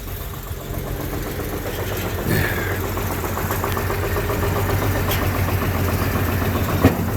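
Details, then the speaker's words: 1936 vehicle started on a 70-degree day after sitting a couple of months, choke in use, rough low idle; uneven light knocking about three to four per second, which the owner attributes to the clutch throw-out bearing; throw-out bearing knock. "You might hear that knock. That knock is my clutch. Throw-out bearing."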